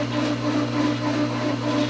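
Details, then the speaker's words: Swimming pool pump being primed at pool opening, with the water rising slowly in the suction line. A steady motor hum with a slow rise and fall in pitch: the pump is surging, not yet primed. "you can hear the surging or it goes like this so what's happening is the water is coming up like this really slowly it's kind of back and forth back and forth like"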